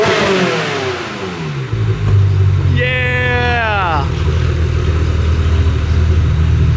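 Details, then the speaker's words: Car fired up: starts cleanly, one quick rev climbs and drops smoothly, then settles into a steady even idle; sounds pretty good. "sounds pretty good"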